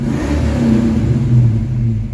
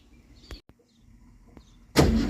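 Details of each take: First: Project Mustang with positive cable and solenoid scalding hot: finally started but lumpy, stumbling and surging with a horrible miss, backfiring like on a rev limiter; failing ignition coil misfire. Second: Jr's Mustang project car, voltage regulator removed, started with a slightly newer Duraspark box after the original box gave no spark: catches straight away and revs cleanly with a firm, even note; the coil is firing; normal start and rev.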